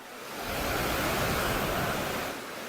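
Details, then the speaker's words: IETS GT 626 laptop cooling pad fans at 2800 rpm, heard from about half a meter, no laptop on it: loud even rush of air, no rattle or scraping; normal noise. "Ну, працює дійсно. От я зараз від кулера знаходжуся орієнтовно від підставки півметра і ви чуєте, як це все шумить."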